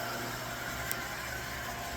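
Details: Newly installed pool pump, wiring temporary, running: even steady electric hum, no grinding or surging; motor running smooth, normal.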